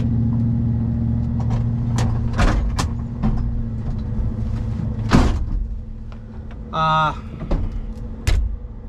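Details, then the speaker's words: 1965 Impala SS V8 idling on a hot day after its first drag pass: lumpy idle with sharp irregular top-end clacks; oil pressure is great, owner unsure if it's a knock; a broken lifter. "yeah i don't know if you guys can hear that or not but shoot that is very ungood we've got i we got great oil pressure okay great oil pressure i can't tell if we get a knock or what's going on"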